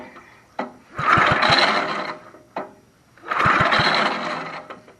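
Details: 1960s Bolens Suburban 26 lawn tractor given starter fluid; coil possibly bad: two cranking bursts about two seconds apart with a few sharp pops, but it never catches. It turns over without starting, and raw fuel was then found at the spark plug.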